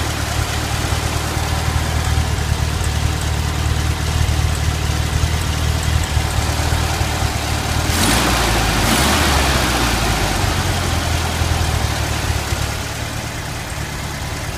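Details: Stock 1971 VW Super Beetle, single-port 1600, at idle: low, lumpy idle with one cylinder dropping out now and then; began after the distributor condenser came loose; 100 psi compression on all cylinders, new plugs; owner suspects a spark problem.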